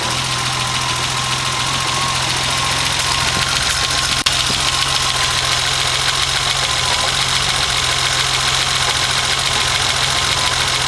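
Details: BMW 2002 fitted with M20 2.7 six-cylinder petrol engine idling with low steady hum and a faint, slightly uneven beat; slight misfire.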